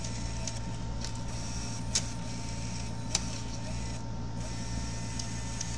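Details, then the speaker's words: Bose Wave radio 3-CD changer, not taking CD, disc stuck: mechanism whirs with steady hum and sharp clicks about every second as it skips; cause found to be a changer gear missing one tooth. "So the gear is missing one gear. Now it's like it's yeah, the gear is missing one tooth. It's right over there."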